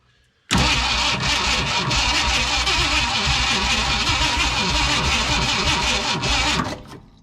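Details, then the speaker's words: Ford F100 from a 1969/1971 pair, believed 1971 with 360 V8, sitting abandoned for years, fuel poured down carburetor: slow, labored, uneven cranking that never catches; starter dragging, not turning over fast. "i don't think it's turning over all that fast whoa that starter yeah i started dragging a little bit"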